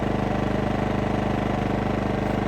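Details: New Champion 2000W inverter generator just after its first start, choke pushed back in, nothing plugged in: small single-cylinder engine pulses quickly and evenly with a steady beat and no misfires; normal running.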